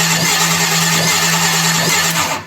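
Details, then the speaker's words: 1951 Chevy 1-ton flatbed with Chevy 350, first start attempt after rewiring: starter cranks steadily over two seconds but never catches; fat but intermittent spark observed, ignition suspected; crank no-start. "it's getting a fat spark but it's kind of intermittent you know it ought to be like boom boom boom boom boom boom boom on that spark that it's going boom so that's not work that's not good that's not gonna start a motor"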